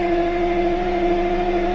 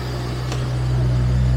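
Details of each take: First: Jaguar V12 warm-up start after about six weeks parked over winter in rain: steady starter whine for about seven seconds with no catch or firing; crank no start despite spark and fuel smell, owner suspects something disconnected. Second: Jaguar V12, stored for winter and started about monthly, warm-up start: a steady, low, even idle hum with no knocks or misses, good oil pressure and charging; normal idle.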